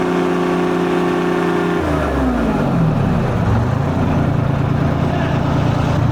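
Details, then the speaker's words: 1973 International Transstar 4300, 12V71 Detroit diesel sat since 1986, after fuel return flow check: idling then revving, slightly uneven early, steadying as it warms; injectors suspected but cylinder temps within 10°, possibly air in the fuel. "Maybe we got a some kind of injector issue."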